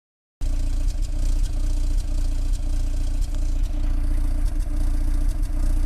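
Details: Peugeot 306 GTI6 petrol engine idling with an uneven, stumbling beat and occasional irregular dips and clicks: a misfire.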